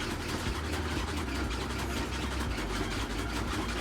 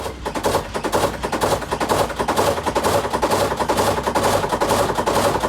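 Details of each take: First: Samsung WA48H7400AW/A2 washer spinning at about 1000–1030 rpm after a fix for shaking; even low rumble with no banging or thumping, still some noise but far less than before; normal spin cycle. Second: Samsung top-load washer WA48H7400AW/A2 before fix: rapid heavy thumping, about two knocks a second, throughout spin as the tub hits the cabinet walls; inner tub keeps moving, suspension rods recommended for replacement, fix reduced noise.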